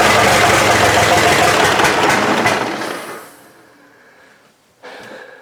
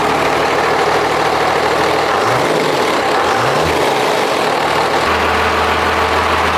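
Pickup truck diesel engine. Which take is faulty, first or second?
first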